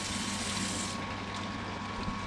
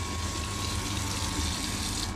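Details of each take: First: Off-grid water system, pump above underground tanks: water pours into the priming tank, splashing and drumming hollowly against the bottom of a nearly empty tank; prime running low, needs refilling. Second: Off-grid water system, priming tank refilled from rainwater via 12-volt pump and garden hose: after air bubbles cleared, steady gushing water with no sputter or gurgle, even pump note; tank fully primed, flowing solidly.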